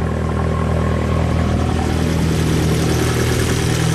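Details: 2015 Fiat 500 Abarth 1.4L turbo at 67k miles whose turbo blew up, just after an aftermarket turbo swap and first start. Still smoking off oil, but a steady, even idle with a firm low burble, no ticking, rattle or turbo whistle; normal idle.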